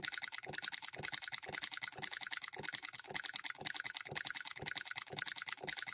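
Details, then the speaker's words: Hand-built Coilmotorworks solenoid hit-and-miss model engine, supply voltage dropped toward half its rated voltage: quick sharp clacks about two per second, some in close pairs; solenoid double-stroking, sometimes firing twice or more to throw the governor balls out. "how it's double stroking sometimes has to fire twice to throw those balls out now it's hitting three or four times"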